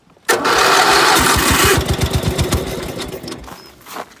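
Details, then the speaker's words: 16 hp Briggs single-cylinder cold start at 12 degrees: sharp catch, then fast even popping about three beats a second settling down; starts and runs cleanly from cold. "that's a cold start 12 degrees can't beat that"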